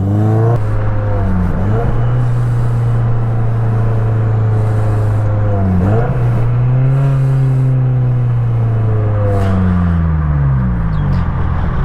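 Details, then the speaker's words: Cammed 1.8L Mazda Miata with near-straight exhaust and oversized rear tip: loud, blatty, raspy drone rising and falling with revs, harsh buzz; exhaust note judged poor. "and to be honest this exhaust sounds like garbage um i'm not proud of driving this thing with its current exhaust setup"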